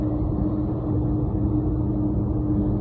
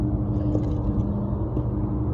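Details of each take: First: Carrier HVAC unit that kept blowing fuses, after replacing the faulty fused disconnect with a non-fused one; steady low even hum, no knocks or rattles; phase rotation correct, compressor and blower running normally. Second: Carrier HVAC three-phase compressor after bypassing one leg at the fuseless disconnect and reconnecting unmarked wires: loud, heavy droning hum with a harsh steady growl; compressor running backwards, fixed by swapping any two power legs.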